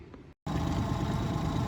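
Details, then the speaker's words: 2014 Mercury 25 hp EFI four-stroke outboard after fixing fuel starvation (it had died in gear) by replacing the fuel pickup lines and draining water from the vapor recovery system: steady, even low hum with no stumbles; smooth, healthy idle. "so here we are with the 20 2014 Mercury 25 EFI this thing is purring like a kitten it has all the fuel at once and it's happy"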